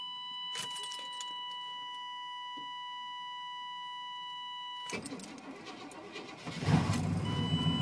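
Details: 1994 GMC Sierra 350 TBI V8, about 240,000 km, cold start at about -8°C, new plugs, wires, cap and rotor, timing set: door chime, brief crank, then a rough fast cold idle. Hard cold start; owner suspects vacuum or catalytic converter.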